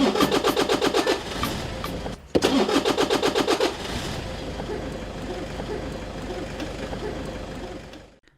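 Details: Toyota Innova that only clicked at key START: after battery checked (≥9.6 V while cranking) and terminals cleaned, the starter spins the engine with quick even cranking pulses, then it catches and settles into a steady run. Starting system working.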